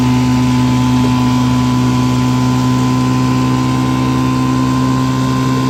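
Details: 1955 Johnson CD-12 5.5hp outboard built from mixed parts with eBay Hong Kong coils, first pond run on a boat under load: even steady drone at constant speed, no misses, knocks or surging; healthy, though it can't idle as low as with OMC coils.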